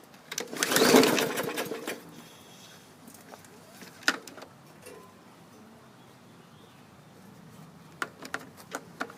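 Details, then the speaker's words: Bolens push mower, 2014 or 2016 model, pull-started with starting fluid: a burst of spinning with no firing, then a few clicks; cranks but won't start, owner suspects the safety brake cable. "uh oh i can smell the starting fluid through the exhaust but we don't have any action this may be dead"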